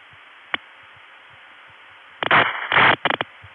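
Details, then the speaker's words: April 1981 long-distance call routed through a New Haven, Connecticut tandem with heavy carrier noise: uneven buzzing tone bursts of differing lengths over line hiss instead of a proper city ring cadence; faulty ringback tone. "you know that's supposed to be a city ring it's not working too well today"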